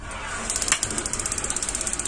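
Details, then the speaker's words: Gas water heater that had a flame that lit only briefly, after a part was cleaned and cut back 1 cm: rapid even sparking at about eleven clicks a second over a soft hiss, and the burner now stays lit. Normal ignition. "udah teman-teman ini sudah nyala terus saya udah berhasil"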